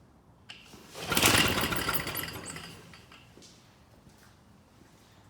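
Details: Old Polaris Trail Boss 250 two-stroke, being revived with a substitute CDI jumpered in: a single brief buzzy burst catches and fades within two seconds; it fires only on primed fuel and dies with no fuel supply.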